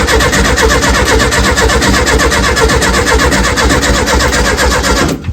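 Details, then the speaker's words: 1970 early T2 Bay Window VW campervan, just-reinstalled engine: starter churns about four beats a second for five seconds without catching. Owners suspect lack of fuel, with fuel possibly now in the filter, or spark plugs; cranks but won't start. "okay um I think it might be a lack of fuel or we got fuel in there now in the filter we could check the spark plugs are all it's turning but"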